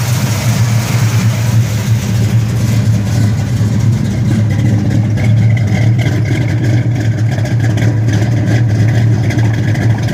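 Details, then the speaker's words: 1971 Dodge Super Bee, dual-quad 4-speed, after cold start: deep, even V8 rumble holding steady with no ticking or tapping from the top end, no upper engine noise; normal clean idle. "Take her for a run. Don't really hear any upper engine noise."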